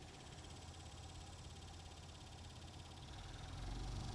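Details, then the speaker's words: Honda Element blower motor before removal, mic moved close to the blower: low steady rumble with an uneven wobble about three or four times a second, louder and vibrating more than normal; caused by debris sucked into the blower fan. "now I'm going to go ahead and turn on the blower motor and listen to this noise"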